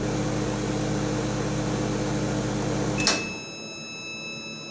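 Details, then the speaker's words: Vintage 1975 Amana Radarange RR-6W microwave, 1:30 run without turntable: steady low transformer hum with fan whir, then one clear high end-of-cycle beep; normal, though it heats less well. "and that's the pleasant beep it was talking about"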